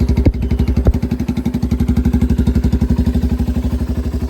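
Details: 1985 Yamaha BW200 Big Wheel, freshly restored, started essentially cold straight from the workshop with no throttle; even single-cylinder thumping about four beats a second, no misses or clatter: clean normal cold idle.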